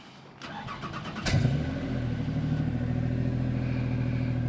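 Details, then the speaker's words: Toyota Sienna cold start, used as a normal-car comparison. Brief starter cranking, then a clean catch and a quick settle into a quiet, steady idle of about 60–70 decibels; a healthy start. "so for fun we're gonna do the sienna just to compare what a normal car supposed to sound like"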